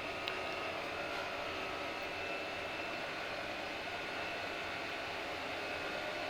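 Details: Chinese diesel heater in a garage, steady airy roar with a faint high whistle and no sputter or pulsing, fan and burner running smoothly after the E-03 error was traced to a failed glow plug (controls fine) and the plug was replaced.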